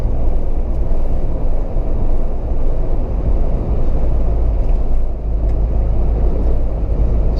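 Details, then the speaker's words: Mahindra Thar petrol automatic at 100 km/h after the service center tightened some nuts to fix a cabin whistle. Steady low road and wind roar with no whistle or high tone over it. Normal cabin noise, whistle gone. "we are at hundred and this is i can very well say that i am not able to hear that whistling sound now"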